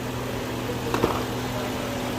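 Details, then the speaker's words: 1998 BMW V8 at full operating temperature after PCV valve replacement: low, steady, even idle hum with no whistle or hiss; oil cap now comes off without pressure, engine idling smoothly. "ya hemos puesto la válvula pcv ya el motor está caliente está en su temperatura y no ya no hay sonido de nada"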